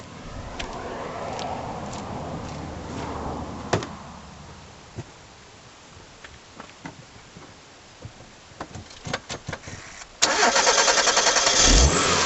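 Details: 2001 Mitsubishi Galant GLX SE 2.0 petrol started just after an air filter change and throttle body cleaning with carb cleaner: clicks and door clatter, then it catches at once and settles into an even, steady idle with no smoke. Normal start and idle.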